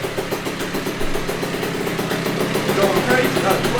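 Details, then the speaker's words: 1982 Honda MB5 two-stroke on first startup after head gasket fix, Dellorto PHBG 21mm carburetor and new Proma GP exhaust: quick, even burble at steady idle, no surging or hanging revs; never sounded so good. "the mb5 has never sounded so good since i had this thing it has never sounded so good especially on first startup"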